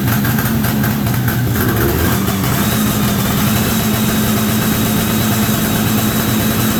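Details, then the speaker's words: 1973 Columbia snowmobile two-stroke with a rebuilt, cleaned diaphragm carburetor on a temporary fuel tank runs steadily but ragged and uneven at idle. The crankcase-to-carburetor pulse line had been forgotten and is off, causing rough running. "See what my problem is. I forgot to put the line on from the crankcase to the carburetor. So, yeah, let me do that."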